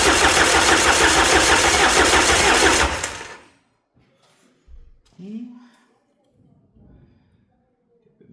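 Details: Peugeot 306 sedan XUD diesel turbo after major injection pump rebuild (11mm head, 6-vane lift pump), first start on jump pack, injectors not primed: steady even cranking about three beats a second for three seconds, never firing; cranks but won't start.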